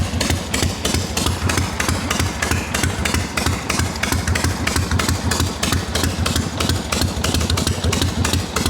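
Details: Harley XLCH chopper V-twin, hot, after loosening an overtightened part that had made a noise: even loping hot idle, steady and strong with no ticks or rattles, a healthy idle.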